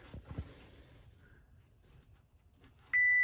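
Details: Chevrolet Tahoe with a P0300 misfire code, probing the coil pack harness next-to-last pin with a multimeter on continuity: after quiet handling a clean, steady high beep comes on and holds, so the wire is intact.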